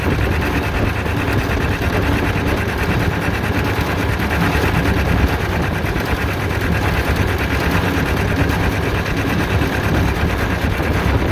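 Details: John Deere Model R tractor big diesel engine at first start after the pony motor was rebuilt, reinstalled and used to start it, following injector work and freeing a sticking fuel rack; steady even beat, low firm chug, no knocks or misses; normal running.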